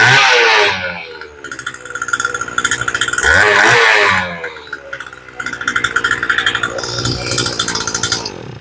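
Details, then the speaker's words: 48cc Power Horse tiller, previously wouldn't start and leaked gas, after fuel line work and a new spark plug, started on full choke: catches, revs up and settles into a quick steady buzz with throttle surges; normal start and run. "And she sounds pretty good. This one's ready to go."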